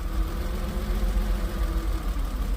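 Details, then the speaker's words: Porsche after repairing mouse-chewed wiring, with four or five wires still unconnected: low, lumpy idle surging and sagging, still wants to die; lack of power to the mass airflow sensor suspected. "she's still rough idling a little bit I still got a couple uh a couple wires to reconnect but uh for the most part sounds good still kind of wants to die"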